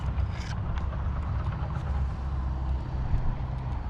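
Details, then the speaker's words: Traxxas Slayer Pro nitro RC engine after tuning, low-speed needle set at a 3-second pinch test, half a tank of fuel: even low putter at a steady idle with no misses or surging. Judged well tuned and reliable. "I think I'm going to leave it right there I'm happy with that seems pretty reliable"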